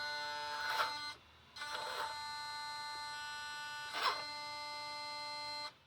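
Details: Brand new Taigen premium V3 gearbox in a model tank makes a steady, reedy electric buzz that cuts out briefly, then returns with occasional rattles; cause unknown, owner hopes it isn't motherboard or wiring.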